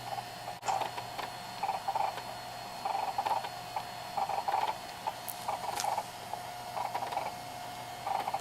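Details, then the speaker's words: JVC VHS-C camcorder after refitting slipped take-up belt that was eating tapes, during playback/rewind; light irregular clicks under a second apart over faint motor hum, owner thinks the belt, noise quieting with use. "Just need to get rid of that motor noise. No, it's not really motor noise, it's probably the belt making that noise actually."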